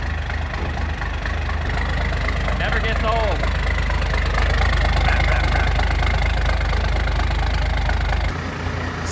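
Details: 1993 Dodge W350 with 12-valve Cummins diesel, started on a cold Arctic day in the shop: steady diesel clatter at idle, even low chug about two beats a second, no misses or rough patches; healthy idle, just a couple of oil leaks.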